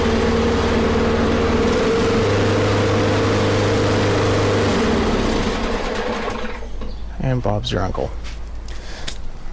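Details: Snapper mower with Briggs & Stratton flathead engine after fixing a no-spark fault: small single chugging at an even fast beat with a steady hum for several seconds, then winding down; runs normally.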